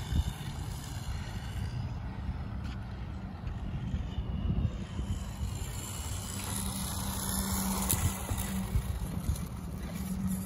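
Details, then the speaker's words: TT02FAST RC car on its maiden run with new gears: a low, even motor hum with a faint steady tone as throttle gently builds. It sounds much better and runs smoothly here, though grinding appears later. "sounding a lot better A whole lot better actually"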